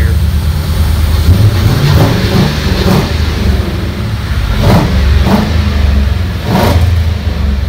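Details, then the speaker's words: Rat rod truck with a fuel-injected 4.6-liter V8, newly connected to MagnaFlow mufflers, intake fitted temporarily. A deep, even burble with several clean throttle blips that rise and settle smoothly; healthy engine through free-flowing mufflers. "So you guys heard it. Sounds good, man."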